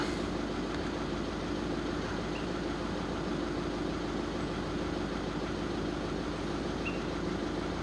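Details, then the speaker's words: VW Caddy 1.6 TDI diesel at idle: uneven, lumpy beat with no steady rhythm; injector quantity deviations for injectors 1–4 all over the place, before the minimum quantity deviation adaptation reset. "So if you have a look there, they are all over the place and that is why we're doing this."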